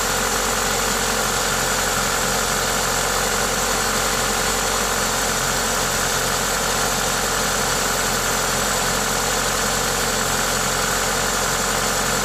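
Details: Toyota 2ZZ-GE engine at idle with an aftermarket induction kit: even, steady idle under a loud intake hiss from the open filter, no knock or tick; normal, healthy engine noise.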